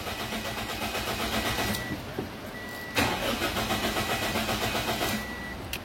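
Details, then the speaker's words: Toyota Vios Limo Gen 2 with a GPS tracker (Concox GT06N) being installed: after cutting the pink fuel pump wire, the starter whirs in steady even pulses with clutch pressed but the engine never fires, confirming the correct fuel pump wire. "Kalau dia nggak menyala, berarti itu benar kabelnya teman-teman. Jangan sampai salah potong."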